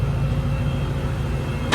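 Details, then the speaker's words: Honda Civic EK with high idle and check-engine light after ACB cleaning; idle re-adjusted with the auto aircon on. Now a steady, even low idle with no hunting or surging, calmer and quieter; normal idle, ready for test drive. "Okay na yung menor niya. Test drive na lang to."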